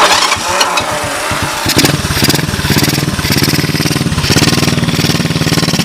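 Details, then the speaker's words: 1986 Honda TRX125 single-cylinder from a scrap yard, hotwired and run on a jump pack, about 67°F outside. Brief crank, then a steady, even popping idle with no knocks, no smoke and no bottom-end noise; engine in fine shape. "the engine sounds like it's in fine shape I got no Cho no smoke she sounds good I don't hear any bottom end noise matter of fact she sounds real nice right she just purs"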